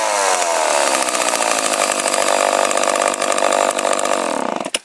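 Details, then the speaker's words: 44 cc chainsaw, started on choke: strong, steady two-stroke howl holding high revs without stumbling or surging, then cutting off; sounds more powerful than the MS250 though not rated to be. "even the sound of this sounds more powerful than the MS250 here, but I guess it's not rated to be."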